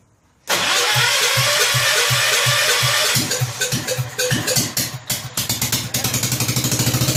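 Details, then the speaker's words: Rebuilt 10 hp Kohler K241 in a John Deere 210 garden tractor, idle turned up slightly: runs evenly for a few seconds, then goes ragged; owner suspects partial fuel delivery problem, unsure about fuel pump. "now we're running there a well we have two fuel delivery issue partially"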